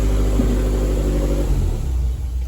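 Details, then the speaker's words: Toyota MR2 with a freshly swapped 3SGTE Gen4 engine, running while the coolant system is burped. Smooth, even note settles from a rev back to a steady low idle, no knocks or misses. Healthy; swap starts fine. "Man, this thing sounds smooth. In terms of the swap, it's in, it's starting fine."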